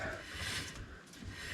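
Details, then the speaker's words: 1961 Oldsmobile rear drum brake after shoe replacement, drum turned by hand: soft, dry, light even scraping of shoes inside drum; light shoe drag, correct initial adjustment, adjustable later via backing plate slot. "you can just see the page scraping inside the drum there just feel a little bit of uh a little bit of friction there is how you want it"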